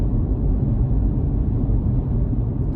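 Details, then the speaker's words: BMW i3 REx range extender engine continuing to run for a few minutes after being switched off: steady low rumble with no knocks or surges; normal shutdown-delay run-on. "It's going to continue to cycle. So there is a delay. It's not immediate when you tell it to turn off. It will run its cycle for a few minutes."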